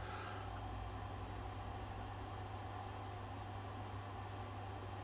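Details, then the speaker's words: 3D printer stepper motor uncoupled from the axis to remove strain: a steady, even low hum with no skipping, clunking or stuttering. Normal stepper motion; the motor and controller are not at fault. "that moved beautifully so in a problem like this the issue is not the motor it is not bad Hardware"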